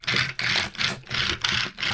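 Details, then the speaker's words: Arrma Mojave Grom RC car after the stripped diff was replaced with a spare: motor whirs up in short even bursts about three a second, smooth, no clicking or grinding; drivetrain operating normally. "so we got back other seems to be operating right"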